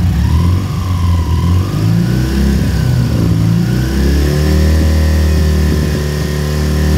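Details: K-750 twin motorcycle during carburetor synchronization: deep, steady twin-cylinder thrum with revs easing up and down while the carburetors are balanced.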